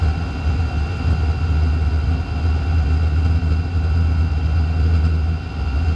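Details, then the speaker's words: Chinese diesel heater (Vevor-type) restarting after fuel system bled of air: deep steady roar with no clear tone or knock, the blower already at full speed while the heater is still lighting; smoke comes from the exhaust. "Fan kicks on to high way too soon. I think it's going to keep going anyway, but the fan is way too optimistic."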